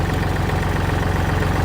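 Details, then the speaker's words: Used 2009 Kubota L3408Di tractor diesel idling after key start; steady, even low idle with regular firing and no knocks or misses, engine tight, no white smoke; dealer-reconditioned, engine and transmission described as excellent. "อ่ะสวิทช์กุญแจสตาร์ทครึ่งเครื่องแน่นมากนะครับไม่มีควันขาวนะครับ"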